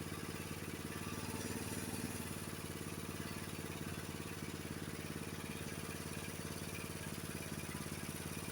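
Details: Honda HS724 snowblower engine idling after idle-speed adjustment with a small-engine tach, reading about 2130 rpm (spec about 2140); soft, even putter at steady low speed, no surging or misses, normal idle.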